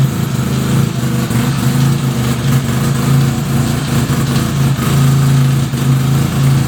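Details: 1975 Suzuki RE5 rotary motorcycle, just fully restored: on starting the engine, a strong low hum pulses in and out over the running rotary, an abnormal transmission noise; cause not yet known.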